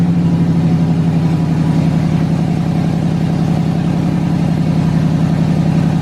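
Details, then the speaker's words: LS-swapped S10 Blazer first start, standalone harness after fuel pump priming: even, throaty V8 idle with steady pulse, about 220 beats a minute, picking up smoothly with a blip; runs clean and healthy. "running and driving and idling dude that is wild man"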